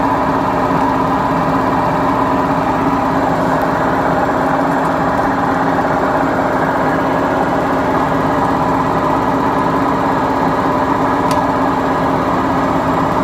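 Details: BEKO washing machine, 7 years 8 months old, with bad bearings: steady loud rumbling roar with a constant droning hum through the whole drum run, typical of worn drum bearings.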